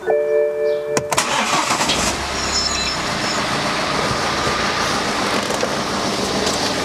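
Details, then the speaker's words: 2010 BMW 318d N47 diesel, about 188,000 miles, after preventive water pump, thermostat, drive belt and tensioner replacement: catches quickly into even diesel idle, no squeal or chirp; earlier belt noise gone; normal belt drive. "leaks okay so the bout is silent that noise that we was having is definitely gone"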